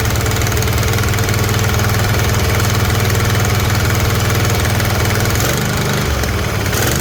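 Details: Kohler 24 hp V-twin mower engine after both ignition coils replaced and spark plug refitted: steady low thrumming at a fast idle, no tapping or misses; running evenly, though oil is dripping on the exhaust.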